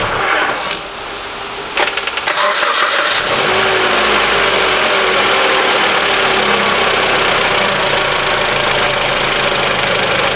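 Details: 2013 Mitsubishi ASX 1.8 petrol, CVT, 448,000 km, after the alternator pulley overrunning clutch was replaced, warm restart test. Brief crank, catches at once and settles into a steady idle with no squeal, chirp or rattle; fixed.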